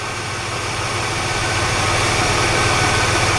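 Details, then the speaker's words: Petrol car engine that ticked on the driver's side, owner believed lifters were dry; idle is now steady with an even low hum and no ticking heard close up; normal. "listen to it again I don't hear any bring really close the oil compression Villa better now"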